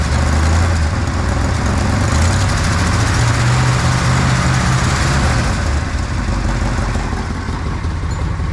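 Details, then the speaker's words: 1959 Edsel Ranger V8 just after installing a used driver-side exhaust manifold: fires up and settles into a steady, even low rumble with no knocks or ticks; normal running. "Not terrible."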